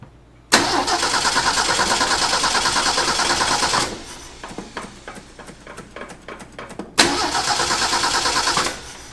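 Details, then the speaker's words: 1965 Ford F250 300 six, parked about 17 years, primed via carburetor vent tube with choke closed: fires, runs rough about three seconds, stalls, recranks, catches briefly and dies; owner suspects no fuel to carburetor, likely stuck float. "we're either not getting fuel up to the carburetor or float is stuck we're going with the float stuck"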